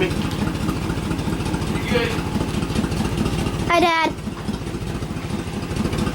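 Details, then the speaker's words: 1997 Suburban after swapping in a used 1999 5.7 V8 with 118,000 miles, no exhaust fitted yet: quick start to a steady, fairly even idle with low rumble; earlier small miss now mostly gone; normal idle. "so i drove around the block it run pretty good uh it's not really missing right now so maybe just had some stuff to work out"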